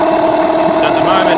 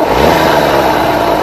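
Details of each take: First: Yamaha 15hp outboard with rebuilt power head, during carburettor tuning: steady idle with an uneven, slightly kicking beat; idle mixture running a little lean, so the idle mixture screw is wound out slightly. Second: Rebuilt Yamaha 9.9/15hp outboard after carburettor mixture tuning drops from a brief rev straight into an even, settled idle with no hunting or dipping; running right.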